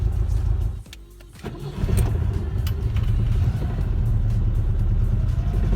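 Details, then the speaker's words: IZH Moskvich 412 engine with good fuel, new spark plugs and ignition leads, clean carburetor: steady even low rumble, no knocks or misses; runs very well, idle speed has crept up slightly. "Бензин хороший, свечи новые, бронепровода новые, карбюратор чистый. Он из-за этого работает очень хорошо, и холостой ход задрался."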